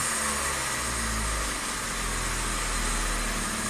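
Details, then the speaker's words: 1998 Saturn crank no-start, fuel pump heard priming: caught only with the throttle floored, then runs at a fairly steady idle with a slight early wobble and some smoke. "Well, I just floored it and it fired up."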